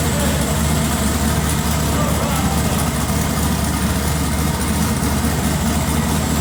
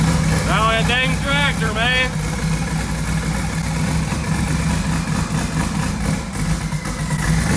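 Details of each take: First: Twin-turbo LS-swapped first-gen Camaro on its first drive after a tune fix, with the loose throttle body, MAT sensor and coolant sensor corrected: a steady, even low rumble with no misses, knocks or surges; the V8 idles smoothly and sounds healthy. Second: LS-swapped twin-turbo first-gen Camaro on 93 octane instead of E85 with a newly loaded tune, running rich: irregular loping idle with a coarse tractor-like chug. Four passenger-side coils were left unplugged, so that bank had no spark; misfire.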